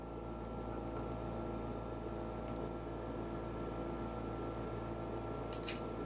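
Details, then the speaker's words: Dometic Penguin rooftop RV air conditioner running with a constant low drone and a steady whine that does not change over time. It is a vibration hum from loose mounting bolts, usually fixed by tightening the mounting bolts. "as you notice that humming noise is usually as simple as just tightening up one of th"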